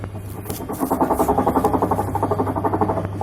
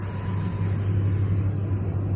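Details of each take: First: Whirlpool Stain Wash Ultra 6.5 kg washer on spin gives a low hum with an uneven rattling clatter; the gearbox is faulty, and the gearbox, 6006 and 6205 bearings and oil seal are being replaced. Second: Whirlpool Stain Wash Ultra 6.5 kg washing machine on its spin cycle after gearbox replacement with new 6205 and 6006 bearings and oil seal: smooth, steady low hum, earlier spin noise gone.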